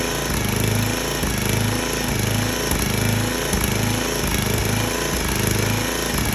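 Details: Small engine on a 34-ton log splitter, bought cheap and said to be locked up or blown, restarted after the degraded hydraulic return line was cut and reattached; it holds a steady drone with a gentle pulse about once a second and runs normally.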